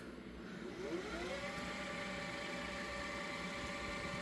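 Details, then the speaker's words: Panasonic PV-V4521 VHS Hi-Fi stereo VCR doing a high-speed rewind from stop: whir climbs quickly as the reels spin up, then holds steady with no scraping or squeal; healthy fast rewind. "And we'll stop it here, do a high-speed rewind."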